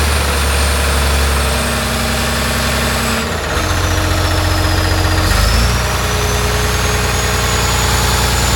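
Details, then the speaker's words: John Deere 850J dozer diesel after a second rebuild to cure a slight tick: deep, steady idle with good oil pressure and no knocks or rattles. "try again it sounds better I can hear it already got a good oil pressure sounds a lot better"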